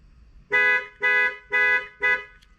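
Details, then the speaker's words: Mazdaspeed key fob just programmed: lock, unlock, then panic pressed; four sharp, evenly spaced horn blasts about two per second, each clean and full; the panic alarm works properly. "Key ignition, doors closed, trunk closed. Lock, unlock, and panic."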